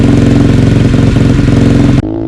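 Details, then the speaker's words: Cheap Amazon dirt bike on its first recorded start, still cold, after the throttle-limit screw was backed out for full throttle: loud, rapid, even popping that settles to a quieter smooth idle; normal cold idle. "so I'm going to start it right now real quick just so you guys can hear what it sounds like and then we'll go rip it around um it's very loud I'll let you guys know"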